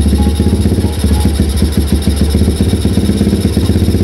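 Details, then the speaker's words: Old Yamaha Jupiter MX with rough running and hard starting, cold morning, retested after reattaching the fuel hose: idle with uneven, hiccuping firing that keeps faltering and the engine dies; automatic fuel tap suspected, still passing much fuel. "mati lagi yang Yes ternyata masih Emangnya kenapa dibilang masih karena masih agak brebet ya karena masih hebat Mati mati"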